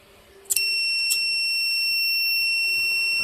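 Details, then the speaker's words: Arduino fire alarm demo with flame sensor and gas (smoke) sensor: a flame is held to the flame sensor and the relay switches on; a couple of short chirps, then a continuous high-pitched buzz as the alarm trips as designed. "You can hear the buzzer is ringing. You can see. There was a fire and alarm on value."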